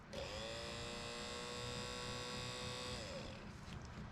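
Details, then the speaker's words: Datsun 521 pickup heater blower motor bench-tested out of the truck after heater core replacement: steady mid-pitched hum with faint buzz, winding down freely; sounds the same as before, no worse or better, cause unclear. "you know the the fan sounds about like it did before it doesn't sound any worse doesn't sound any better"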